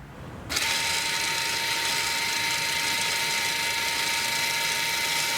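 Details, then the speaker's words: Toyota RAV4 electric parking brake, brake pedal not pressed, exiting rear brake service mode by pulling and holding the button: a steady, even high electric motor whine from the rear with no grinding as the brake returns to position, normal operation. "You will hear the motor noise in the back of the vehicle. This means that the parking brake gets back to its position."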